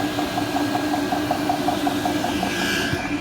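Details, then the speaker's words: Chinese 8kW diesel heater on a boat, first start: rapid even ticking about five per second over fan hum; fuel pump set at 5 Hz, pumping too fast, smoking a lot and dropping diesel. "it's pumping at a high frequency but it's smoking a lot"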